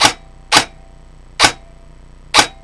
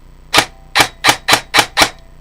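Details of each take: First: Customer's airsoft AEG rifle on a 1000 motor after gear-mesh adjustment: sharp shots and two rapid bursts, each trailing a faint metallic twang; tech suspects the mainspring vibrating on a too-skinny spring guide, possibly cured by pre-cocking. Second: Customer's airsoft AEG rifle, brought in for low FPS and strange gearbox noises, on a 1000 motor backed off a quarter turn: six crisp single shots with no grinding or whine; gears barely audible, gear mesh sounds good.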